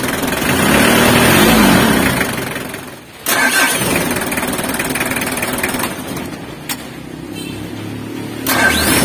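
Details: Mitsubishi L300 diesel, rebuilt with older-year cylinder head and pistons, valves adjusted, oil and coolant filled, test start: cranks, stumbles briefly, catches into even diesel clatter about four beats a second; normal start and idle.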